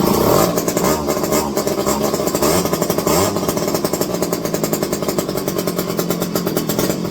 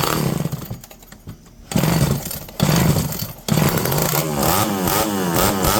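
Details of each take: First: Electric-start McCulloch 510E chainsaw with a just-fitted carburetor: revs with a rough, blubbery burble instead of a clean scream; running rich because the high-speed mixture is set too far open. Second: Revived electric-start McCulloch 5-10E chainsaw with borrowed idle screw, idle possibly a touch high: snarls from lumpy idle to full revs, pulls down cleanly into the cut and recovers; runs fine under load, though base gasket leak and carburetor suspected.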